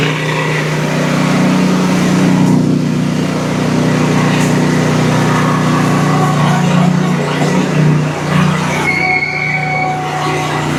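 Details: Exmark Quest zero-turn with a Briggs Intek V-twin after a valve guide repair, run off a jump pack: an even, steady drone with loud muffler noise and no bogging, smoking from one side but with plenty of power; normal running.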